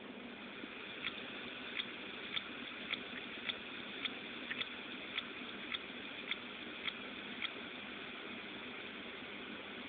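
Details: Seagate 500GB 7200RPM Free Fall Sensor laptop hard drive from a Dell XPS16, failed after 3 months: sharp light ticks repeating almost twice a second over faint spindle hiss; clicking traced to the read head.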